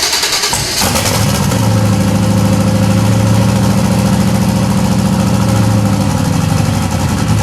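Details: 92 Chevy Silverado 5-speed with a turbo 5.3 LS swap: catches, then a lumpy, uneven idle with a loping stumble about three times a second, missing on at least one cylinder; cause suspected, not confirmed; injectors to be pulled.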